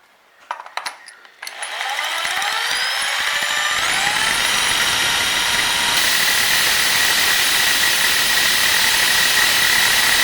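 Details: Husqvarna 372XP chainsaw after bar oil pump replacement: a few pulls, fires, revs climb smoothly to a high steady scream with no stumble or rattle; runs clean.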